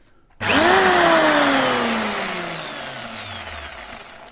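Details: Jigsaw under home repair: motor whines up freely and winds down, but the blade does not reciprocate and there is no blade clatter; inside, the drive mechanism was found disconnected.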